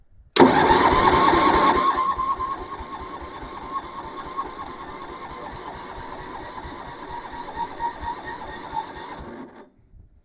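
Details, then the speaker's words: Massey Ferguson 7 lawn mower sitting many years: starter spins engine quickly and evenly for several seconds, never catches; owner thinks carburetor mixture screw needs turning out more; possibly lean mixture, crank no start. "no I don't think that's it I think she needs a little bit more twist that screw in the carburetor out"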